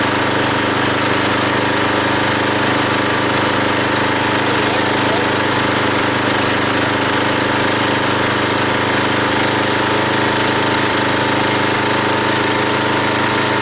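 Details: Log splitter small engine driving the pump by belt, after fitting a homemade spring-loaded idler arm because the belt flew off: steady drone pulling down slightly as the log splits, no belt squeal, hardly any slipping; normal running under load.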